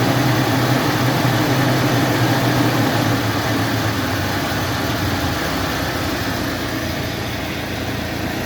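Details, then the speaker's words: 2017 UAZ Patriot, cold engine after standing about 1–1.5 hours, revs raised slightly then slowly lowered to idle while hunting a knock: steady even idle with a smooth low hum and faint accessory whir, judged normal, no knocking. "так но я только слышу какой-то шум от героем слышу шум от горы на 2 прядки это как бы принципе норма"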